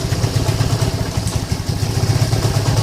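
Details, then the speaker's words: Lagenda 115 FI motorcycle, cold engine (dies when hot, spark lost, weak fuel pump pressure): idle thumps unevenly, beats bunching and dropping out; stumbling rough idle, timing seems off. "oke dia hidup ya tapi Ah semput kurang dengar"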